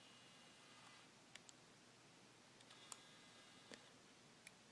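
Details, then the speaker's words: Canon S100 compact camera, newly bought: in a quiet room, a handful of sharp irregular clicks as the lens zooms in, precisely between 28mm and 35mm; something in the zoom mechanism catches, cause unknown. "okay so here's my canon s100 just got this camera and it takes beautiful pictures but there's this one problem that i'm having and it's this clicking noise when you are zooming in"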